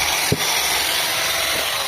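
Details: Angle grinder after repair, a broken bearing cage and shield found and reassembled: steady, even high-speed whir with no rattle, knocking or wobble. Normal running.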